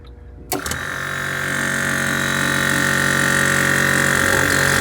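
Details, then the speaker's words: 1998 Newell motorhome, new ultra-quiet 12V air compressor replacing the Thomas unit, with check valve: switch click, then a smooth, steady low drone that quickly reaches pressure; quiet, healthy compressor. "This thing's got a pretty good vibration isolation. Oh, it already satisfied pressure already. You can see it's it's pretty quiet."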